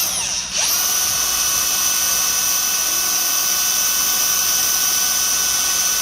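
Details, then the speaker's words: Brand-new Milwaukee M18 CAG125 125mm angle grinder, straight out of the box, at full speed with no load: a steady high-pitched whine that sounds tight and wrong, with an electrical smell; abnormal motor noise, cause unknown. "Doesn't sound right. Doesn't sound very good. Like it was tight in there. Smells a little bit electrical."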